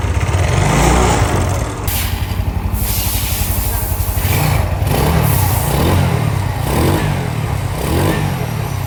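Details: Yamaha Nouvo Z scooter, previously noisy and bored up, with rebuilt cleaned carburetor refitted, revs and settles in repeated blips with no ticking or rattle; engine sounds normal.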